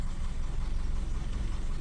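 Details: Toyota Kijang Super, carbureted and ignition normal, idle rpm raised, which eases morning starting and saves battery current: low even rumble with a steady beat, no knocks or misses, idling smoothly at a slightly raised speed.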